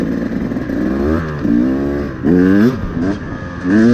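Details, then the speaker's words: Carbureted two-stroke dirt bike nearly warmed up, radiators hot to the touch; crisp throttle blips rising and dropping back to a stable idle without sputter; good throttle response after a gradual warm-up at 3,000–5,000 RPM. "Now it has good throttle response. Engine idle is stable without having to blip it."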